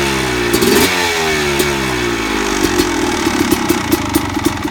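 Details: Suzuki RM250 two-stroke engine: revs blip then settle, with a loose metallic rattle clattering in quick bursts that follow the revs as they drop.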